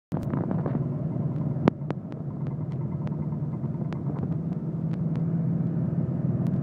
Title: mysterious '84 911 clicking noise